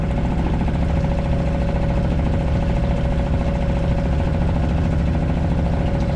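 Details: Suzuki 2.5 HP DF four-stroke outboard, long shaft, running in neutral in a water bucket with choke on, after no-start traced to oil level sensor, oil barely in sight glass: even steady idle, constant tone, no knocks or misses.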